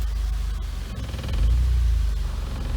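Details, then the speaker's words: BMW Z3 automatic, shifted into reverse: low uneven idle with wavering rpm and droning body vibration shaking the glass; rough idle in gear, also lurching downshifts when stopping; cause unclear. "see how the RPMs uh fidget around belongs that this glass will vibrate as a result"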